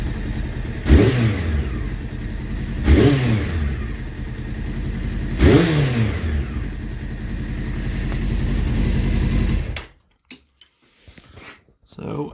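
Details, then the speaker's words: Honda CBR600F3, not fully warm, after cleaning carb jets and setting idle to the 1200 rpm spec: uneven, lumpy idle with surging stumbles before cutting out; owner suspects carburetors need synchronizing. "as you can see there's still a bit of a lumpy Idol"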